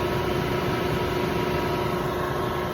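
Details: Lennox 15-ton HVAC unit just after a fan motor replacement and belt retightened. Steady airflow rush with an even motor hum and no squeal, rattle or grinding. It previously cut out after about half an hour; later it cooled 80→75°. Normal fan motor running.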